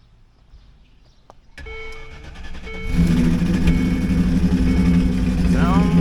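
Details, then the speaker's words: Land Rover Discovery 2 V8. Cylinder one is fully dead despite passing compression and having spark, with the fuel injector suspected. It runs with an uneven, stumbling lope and light top-end ticking, and a lifter or valve problem is suspected. "Maybe does not sound good. I think I've either got a lifter or valing pretty bad though."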